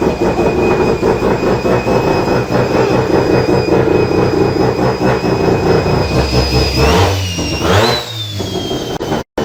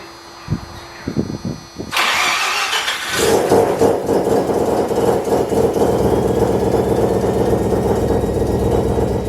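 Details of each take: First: Mazda FD RX7 Bridgeport rotary with a single Hypergear T51R turbo conversion, test run after checking oil feed and housing clearance: loud rough rotary drone, turbo whistle rising on a blip, then a smooth wind-down at shutoff; runs fine, turbo spools down easily. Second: Mazda FD RX7 bridgeport rotary, Hypergear T51R single turbo conversion, first start: cranks catch, then harsh, raspy, very loud idle with popping hiss; massive exhaust leak from turbo exhaust housing V-band clamp not seated properly.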